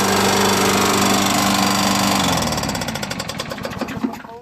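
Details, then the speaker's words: Push lawnmower engine with a head gasket homemade from Permatex red RTV, no oil leaking but some smoke: a loud rough single-cylinder roar winding down into separate clicking pulses; cause not confirmed. "making this clicking sound so I can't figure out what that could be but I don't think that gasket maker really works right"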